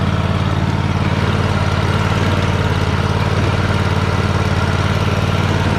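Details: Free Troy-Bilt riding mower, started with help while the carb shut-off solenoid clicks, needing a solenoid: steady, even firing at a settled speed, no knocks, misses or rattles, a healthy twin. It moves in reverse, though the belt smells burning and is possibly the wrong belt.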